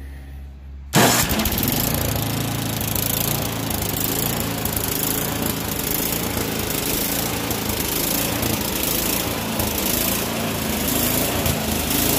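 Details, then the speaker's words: Troy-Bilt small engine after clearing the air vent, modifying the carburetor float and fitting a new spark plug: catches at once and holds a steady high drone without surging. Runs normally. "i do believe we got this running about as well as it's going to get without getting too involved with uh new carburetor parts"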